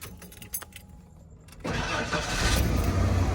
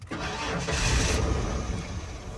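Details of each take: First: Non-running 1996 Ford F-150, inline-six, 2WD, after the fix (the fault was a switch) and battery reconnected: keys jingle, the engine catches at once and settles into a steady, even low idle with the fuel pump working. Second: 1996 Ford F-150, inline-six, 2WD, non-running truck after a wiring fix: it catches with a rough rumble, runs unevenly about two seconds, then sags and dies. The starter seems healthy; a fuel supply issue is suspected. Starts then stalls.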